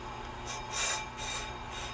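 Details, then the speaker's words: On-car brake lathe cutting a rotor with runout causing pedal pulsation: light raspy scraping swelling and fading each rotation as the cutter just touches the surface; scratch test cut. "Now the cool thing with this is it's super adjustable, so I'm gonna run it in just a little bit, make a scratch test, right?"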